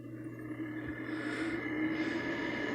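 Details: Window air conditioner: steady low hum with a faint higher whir over the airflow; fan is noisy, owner unsure if it's bearings.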